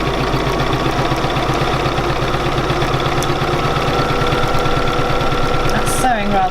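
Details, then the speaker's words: Bernina 475QE sewing machine doing free machine embroidery in a hoop with presser foot down; fast, even stitching patter about four a second with smooth motor hum, no knocks; runs lovely and smooth. "So I'm going to set off. Oh, listen to that, lovely and smooth."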